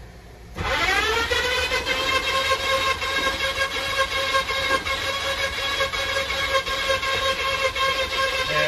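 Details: Brass Craft drum auger unclogging a fifth-wheel RV toilet drain: motor spins up quickly to a steady, constant whine and holds speed while the cable works, no labouring or grinding. Normal operation.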